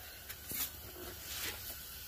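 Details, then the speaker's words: Normal front passenger wheel bearing on a 135k+ mile S197 Mustang GT, wheel hand-spun: nearly silent, soft hiss and light brake pad brush, unlike the louder driver's side suspected of growling on right turns. "you really shouldn't hear anything it just sounds like maybe the brake pad"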